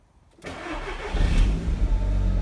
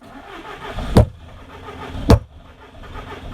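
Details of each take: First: Audi TT Mk1 after fuel pump replacement, first start attempt after priming twice: brief crank, then catches straight away and settles into a smooth, steady idle; clean normal start. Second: Audi TT Mk1 with no fuel pump priming at ignition: sharp hammer taps on the fuel pump, then the engine briefly catches but runs poorly. The pump is to be replaced. Failing fuel pump.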